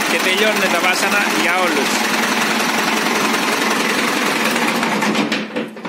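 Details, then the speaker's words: Ford 6610 diesel tractor cold-started on a frozen day with a new starter replacing a Lucas unit that had struggled. A brief crank, then it catches promptly and settles into a steady clatter without struggling. A healthy cold start. "Είχαμε μια Lucas που θα την δείξω στις φωτογραφίες, η οποία βασάνιζε πολύ το εργαλείο για να πάρει μπροστά. Σήμερα μια παγωμένη ημέρα, ακούστε πως παίρνει."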